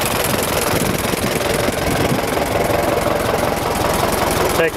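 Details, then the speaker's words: 1926 Ford Model TT ton truck idling on magneto after switching from battery, started with a little choke: a dense, even buzzing clatter from the trembler coils over a steady idle; coils act differently on AC magneto current, normal. "the coils operate differently on the Magneto cuz it produces AC current"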